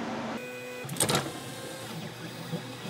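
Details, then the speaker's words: Cheap acrylic 3D printer: steady motor hum, then harsh rattling clatter as the axis moves; worn linear ball bearings have grooved the rods, one bearing only zip-tied, all expected to fail. "even if it does work it's all of the linear bearings are going to fail in this machine"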